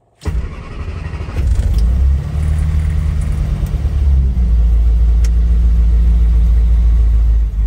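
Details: Classic Austin Countryman Mini with carburettors, fuel pump primed, choke pulled out a little, in neutral: short crank, then it catches at once and settles into a strong, even idle with a deep, steady exhaust note; clean start.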